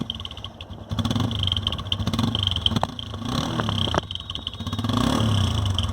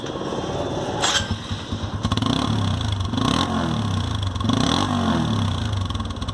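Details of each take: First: TVS Apache RTR 160 single-cylinder bike running with an uneven, fluttering putter in the exhaust note that wavers as it runs, from a partly blocked silencer outlet; often mistaken for an engine problem. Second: TVS Apache RTR after clearing an insect nest or dirt blockage from the silencer. The bike fires and revs in clean, even blips with a crisp, unrestricted exhaust note and no muffled choking. Normal exhaust note.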